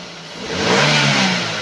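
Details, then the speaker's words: 2015 Daihatsu Gran Max 1.3 pickup: the engine note climbs smoothly on a throttle blip and settles back, with no ticking, metallic or piston noise. Still strong and healthy. Normal revving. "ini mesinnya masih oke mesinnya masih galak gitu ya kalau geber itu masih galak tuh suara raungannya itu dia ngisi tenaganya masih kalah"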